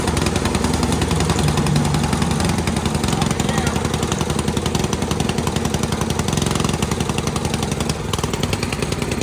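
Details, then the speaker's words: Dad's old concrete mixer small single engine, after carburetor jets cleaned, pull-started; chatters at a fast uneven beat around 220 a minute, stumbling and sputtery, running rough and needing a tune-up. "Yeah. It sounds like Needs a tune-up."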